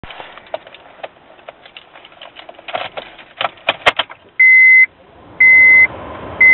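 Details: Honda Ridgeline truck won't start: irregular dry clicks about once a second, then bursts of steady high beeps, no starter cranking; battery charger shows no charge, green key light flashing.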